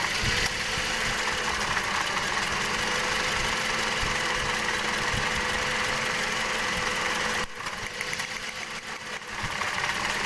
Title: Engine Misfiring v3